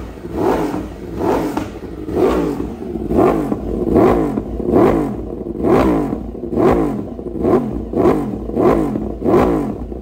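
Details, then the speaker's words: Yamaha R1 with Kawasaki switchgear after engine rebuild, new battery, freshly started and only briefly warmed: quick even throttle blips about once a second, revs climbing and dropping cleanly, no knock; strong healthy engine. "Tại Xe mình mới này nổ máy h để cho nó tí xíu nha anh em chứ không có bội thèn thơi nó lực khiếp lắm anh em"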